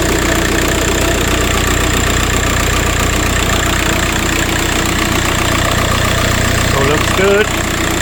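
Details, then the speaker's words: VW Passat 35i with PD150 TDI conversion, first start after turbo replacement; steady, even diesel idle clatter with no whistle or siren rising over it. The bad-turbo siren noise is gone; normal idle. "alright. Well, that's that. I've done it. Turbo's on. It sounds good. I've lost that woo woo noise."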